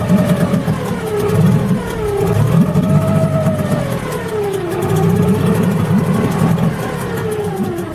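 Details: Tohatsu M5B 5hp two-stroke outboard running after a new water pump impeller was fitted; steady buzz with pitch drifting gently with throttle, no knocks or misfires, running fine.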